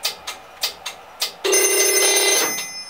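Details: 1960s vintage Strowger PABX telephone exchange on a repaired imported 48 V power supply: several sharp clicks, then a clear bell ring for about a second before fading; the exchange rings the extension properly.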